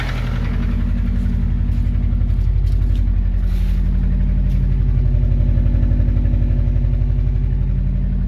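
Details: Subaru EJ20G engine at cold idle before removal: a steady, sharp knock about four times per second, locked to engine speed. It is a cold-start knock with the source unknown.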